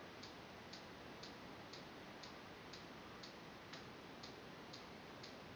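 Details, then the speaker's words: CBR 2 ultrasonic motion sensor on a TI-Nspire (DataQuest app), tracking a book moved away from about 15–18 cm while the distance reading increases. Steady, dry, evenly spaced clicks about twice a second over faint hiss: normal pinging. "the motion sensor green light will come on and you'll hear a clicking sound"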